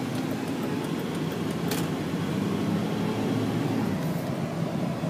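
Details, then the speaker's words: 1999 Volvo S80 on a test drive entering the highway, accelerating through the gears; engine pulls evenly with tyre and road noise, transmission shifts flawlessly, full power, no ticks or odd noises. "transmission shifts flawlessly engine makes full power no ticks or any funky noises at all"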